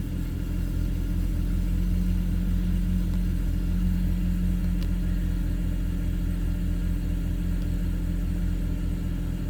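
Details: BMW N54 with index 12 injectors, Walbro low-pressure fuel pump, MHD tune, 93 octane, at 58°F: rapid, even starter churn of about 2.5 beats a second for seconds without catching; extended crank, hard start, cause not confirmed.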